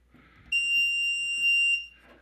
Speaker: does have this really loud beep when you press these numbers though I wanted to show you